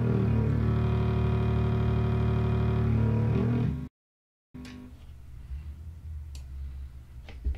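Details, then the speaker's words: Single-ended tube amp at full volume: a steady low putt-putting buzz near four pulses a second over 120 Hz hum. It stops when the volume is turned slightly down and returns at full volume; the amp is motorboating. "sounds like something straight out Star Wars you know some alien creature but that is what a motorboat sounds like"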